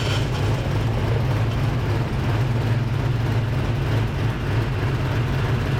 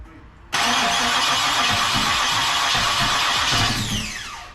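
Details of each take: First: Fresh Ford 306 HCI engine in Fox Body, first start-up after water leak fix and belt install: steady even low rumble at idle, no knocks, misses or whine; normal idle. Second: Freshly built Ford 306 with heads, cam and intake, in a Fox body, first start-up after the transmission install: fast, even cranking for about three seconds that never catches, then the starter winds down. The timing was bumped up afterward.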